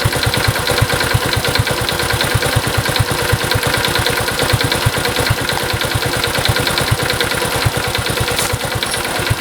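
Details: Honda Cub small single, 65,000 km, checked for abnormal engine noise with compression test: fast, even light ticking about three per second on top of the idle; source not pinned down.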